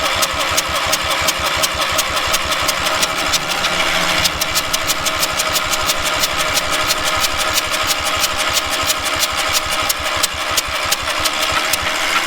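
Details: Trailer-mounted cherry picker man lift engine, given away in rough shape with water found in the intake and cylinder: steady starter cranking about three compressions a second, even and free-turning, but never catches or fires.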